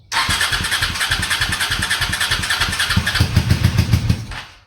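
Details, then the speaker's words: Honda Shadow motorcycle, cold morning, after Seafoam and Berryman in the intake overnight, on full choke with booster box: cranks and coughs into stumbling firing then dies; owner suspects a weak fuel pump starving it. "Give her all the choke. Yeah, she's starving for fuel. I think that fuel pump is weak."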